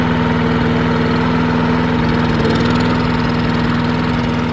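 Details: Murray 22-inch push mower, 5 hp Briggs flathead, unrun 20 years: after drilling out clogged carburetor passages, fast steady beat with slight rise and fall in speed, firing evenly; runs good, slight surge noted.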